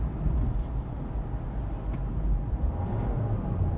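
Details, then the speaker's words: Honda City 1.5 diesel, 6-speed manual, heard inside the cabin at steady cruise: constant low diesel drone, a dull heavy rumble without knocks; intrusive engine noise, a drawback of the car. "can hear it inside the cabin which kind of attached me while I'm driving"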